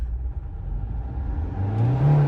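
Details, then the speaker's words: Opel Zafira B, 1.9 diesel (~120 hp): rough low diesel drone, engine shakes at idle without misfires, revs climb sluggishly on throttle; won't pull below 2000 rpm then drives normally with turbo, no active errors; faulty injectors. "вона на газ ледве набирає оберти і при цьому її"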